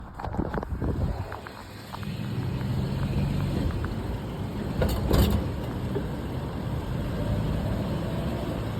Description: This truck started making a small click but has turned into this clunk.